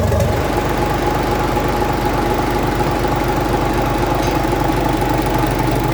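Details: 1965 Gardner 6LXB 180 marine six-cylinder diesel on test stand after rebuild (it had failed 80 hours after a previous overhaul): even steady beat, roughly four pulses a second, clean mechanical clatter, no misfire; healthy running.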